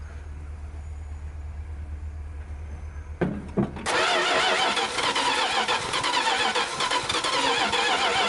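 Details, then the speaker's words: 1973 Dodge D100, first start attempt in 10 years, float bowl hand-filled: the starter grinds steadily without the engine catching. Weak spark found; other causes not confirmed. Slow crank, no start. "okay figured out one problem it's definitely got weak fire and uh it's too weak to to start it anyway"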